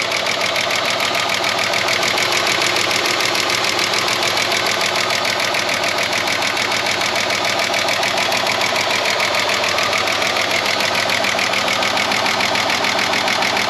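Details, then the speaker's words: Roughly 30-year-old Ford Falcon revived from a paddock, cold first start: fast ticking chatter at 3–4 per second over an uneven, galloping idle. Valvetrain noise, suspected to be a stuck lifter, and it sounds like a cylinder is down. "Didn't like how that galloped. Very chattery. It could just be a stuck lifter."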